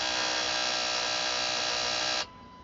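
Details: 2006 Jeep Wrangler TJ, manual, which sputtered and died a month ago; crank and cam sensors, computer and battery already replaced: steady high electrical buzz for about two seconds, no cranking, no start; the owner suspects the ASD relay.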